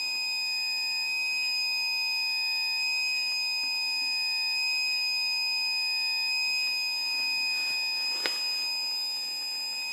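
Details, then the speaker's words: Brand-new battery backup sump pump, failed after one day, triggered by filling the pit with primary unplugged: steady high electronic alarm tone, no pump noise, signalling battery activation and lost charge. "as you can hear the alarm is going off that the battery is uh been activated and it's lost some of its charge"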